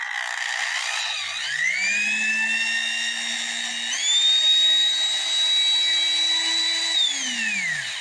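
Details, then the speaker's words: 1970s Black & Decker 7014 1/4-inch variable-speed corded drill, heavily used, up to 2,500 RPM: clean whine climbs to a steady pitch, steps higher, holds, winds down smoothly; runs healthy without rattles or grinding. "And as you can see, it runs all the way up to its gear. It runs well, sounds good, runs very smooth."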